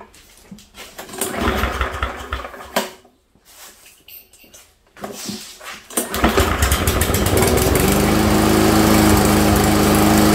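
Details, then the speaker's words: Walk-behind lawnmower that clunked at shutdown after hitting a rock, after repair: starts after a few pulls, runs smoothly with no clunk or rubbing, then shuts off. "And this is what you want to hear is nothing. That's exactly what it should sound like."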